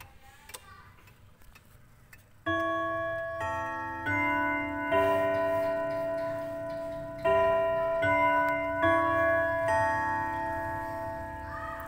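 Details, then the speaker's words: Antique quarter-chime pendulum wall clock with its lever deliberately pulled at the third strike: the bell chime strikes in a slow ringing sequence and keeps going past the count, three strikes where there should be two. The strike and melody train is out of sync with the hour. "Setelah berbunyi tiga kali, saya menarik tuasnya. Lonceng itu akan berbunyi tiga kali di sini, padahal seharusnya hanya dua"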